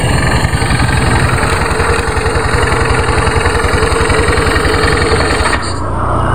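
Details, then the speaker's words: Honda automatic scooter after replacing the rear CVT pulley bearing: steady even throb with a clean drive, no grinding or rattle from the belt drive; much smoother than the badly grinding sound before. "ya ini jelas terlihatnya Bro setelah kita ganti lahernya lebih halus Bro dari sebelumnya Bro dari sebelum diganti ngerosok banget"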